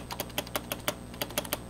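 Spacebar pressed repeatedly, each press a single clean, short click with no rattle after it.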